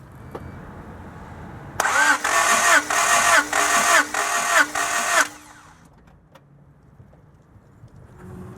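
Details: 1991 Honda Prelude Si with a misfire under diagnosis: about three seconds of steady starter cranking with even pulses and no firing, then silence; engine spun over for a compression test.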